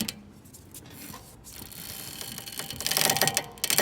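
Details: 2011 Audi A6 C6 2.0, front-wheel drive: dry crackling and ratchet-like clicks as the steering is turned, worse turning left, at full lock; caused by worn stabilizer links.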